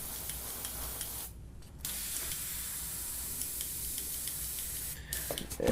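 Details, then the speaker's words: Iwata Eclipse HP-CS airbrush spraying paint: steady air hiss cutting out in short gaps, sputtering because paint chunks build up in the tip after cleaning. "yeah a brush is real struggling right here what happens is Chunks build up in there every time you clean the airbrush out and they build up in the tip"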